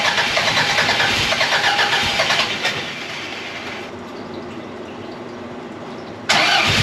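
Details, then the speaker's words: 1982 Fiat 124 Spider with twice-rebuilt engine, valve shims replaced, first start attempts: steady starter whir with brief coughs that never catch; crank no start from ignition timing still being tweaked. "all right so we're still chasing in a little bit but we got some fires off there um it's just going to take some more tweaking"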